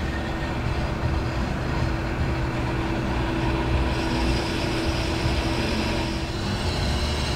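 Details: Brake lathe making a slow-speed finishing cut on a 2008 Ford Flex rotor: a smooth, even mid-pitch hum with no chatter or grabbing. The cut sounds normal and leaves a smooth finish.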